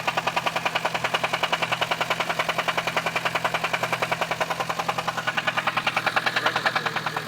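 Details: 1998 GST 4G63T with a hard metallic knock about three times a second over a quiet idle; teardown found the crank thrust washers in the oil pan and a spun bearing, the crank walking, and the crank and block scrapped.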